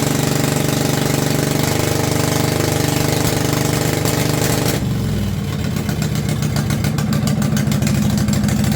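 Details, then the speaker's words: Homemade pull-behind brush mower built in 2023 from an old Craftsman riding mower with a 50" deck. Loud, raw, blatting exhaust with a lumpy rhythm and a tone shift partway through. The choke is partly on and no muffler is fitted yet. "Sounds like a derby mower right now, but there's a muffler over there. You know, I'll get it put on sooner or later."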